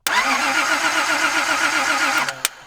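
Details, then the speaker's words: Datsun 260Z that wouldn't start. The starter cranks at an even, fairly quick rate for about two seconds but never catches, with no spark because the key is off. The starter was later replaced. "Bummer. Oh, we wouldn't have spark because we don't have the key on."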